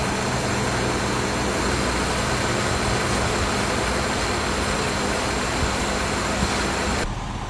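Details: Honda Jazz i-DSI, older high-use car treated for shaking and swinging idle: after replacing all 8 degraded, leaking spark plugs, valve adjustment and gear oil change, steady smooth idle with no knock, misfire or surging.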